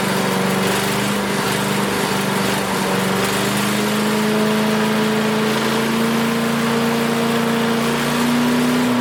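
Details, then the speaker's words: Craftsman 5 hp wood chipper single-cylinder, revived after sitting 3 years jammed: steady, even drone at constant speed, no misses or surging; initial smoke, likely WD-40 or PB Blaster, cleared and exhaust ran clean. Running smooth. "It was a little bit smoky in here, but all that initial smoke must have been the WD-40 or PB blaster, because it did clear right up after that, and it was running very clean out the exhaust. This thing runs very smooth as far as the engine jerking around."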